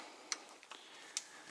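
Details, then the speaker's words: Truck air brake slack adjuster on an S-cam, 7/16 adjuster nut being backed off: crisp spaced single clicks about once a second, the normal ratcheting heard when loosening (tightening makes no sound); normal slack adjuster operation. "So listen when I back it off. See how it's ratcheting? That's loosen."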